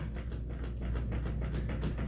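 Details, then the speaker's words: Bicycle rear wheel rocked side to side by hand: light regular clicks, about four a second, with large play because the hub wheel bearing is extremely loose; fix is readjusting cones with cone wrench. "as you can see this wheel moves quite far from side to side and you can actually hear a clicking sand from it that's because the wheel bearing on this wheel is extremely loose"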